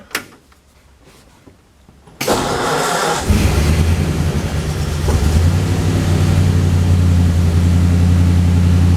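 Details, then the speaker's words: 1935 Ford convertible sedan cranking after new starter solenoid fitted, with a little choke: brisk even crank about a second, catches into steady smooth idle, turning over much faster than before; normal cranking and start. "Yeah, seemed to turn over a lot faster. So I think that putting in that new solenoid was a wise thing to do."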